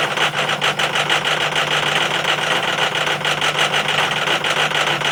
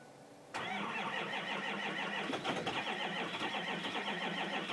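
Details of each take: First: 2005 Powerstroke 6.0L diesel, cold start after a hard start: the engine started rough, then settled into a steady, even diesel idle with no stumble or misfire. It only needed extra battery charge. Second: 2005 Ford Powerstroke 6.0 diesel cold start; the block heater had been plugged in about five hours, but a breaker blew. Steady, rapid starter cranking that never fires: long cranking, no start. Cause not confirmed.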